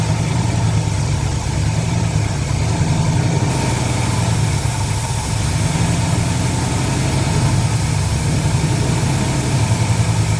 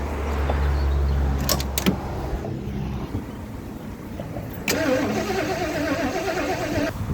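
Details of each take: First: 1977 Lincoln Mark V 460 V8 running on fuel primed into the carburetor after long abandonment: deep, even idle with steady rumble, no ticks or stumbles, then shuts off cleanly; sounds healthy. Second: 1977 Lincoln Mark V abandoned project: steady starter cranking with an even chug that never fires, fuel feed diverted into a bucket; no-start from missing ignition spark, which later reappeared during cranking.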